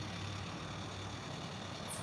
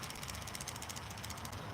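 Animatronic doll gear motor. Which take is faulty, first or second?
second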